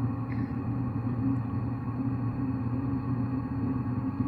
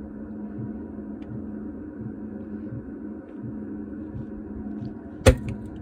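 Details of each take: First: Diesel heater after carb cleaner was forced through the fuel line to clean the atomizer screen (first start gave explosions); on restart it ignited first try, no white smoke; steady even hum, no pops, surges or misfires; normal running. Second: Diesel heater started after carb cleaner sprayed through fuel line to clear white smoke: low steady hum with faint soft thumps, then one sharp bang; delayed-ignition explosions at startup before it ignited, afterward no white smoke.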